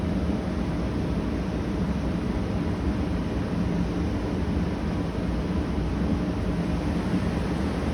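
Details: Arctic King 8,000 BTU/hr mobile air conditioner, compressor just kicked on, still warming up: steady, even low hum with a faint constant tone and no knocks or rattles. Compressor sounds good, running normally.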